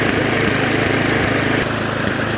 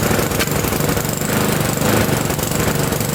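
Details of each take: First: Previously non-running neglected Victa Sprinter mower, warming up before oil change: runs fairly steadily but spits occasionally while burning off oil in cylinder/muffler; owner unsure of debris in fuel tank, governor spring dodgy. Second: Victa Sprinter mower, previously non-running, with fresh fuel and borrowed Briggs air filter: single-cylinder engine fires fast and steady at a loud, constant rate without stumbling, burning off some oil in the cylinder; running properly.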